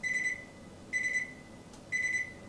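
Three short, clean high-pitched beeps about a second apart, one per button press; the panel's normal confirmation tone, nothing wrong.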